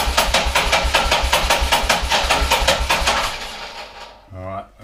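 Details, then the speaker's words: 1979 Harley-Davidson AMF Sportster pushrod engine during a rebuild, running on starting fluid: uneven loping beat at about two and a half pulses a second, then sputters out; runs lumpy, not cleanly. "let me try some more. It's a bit lumpy. Well, it's supposed to be in a push rod engine."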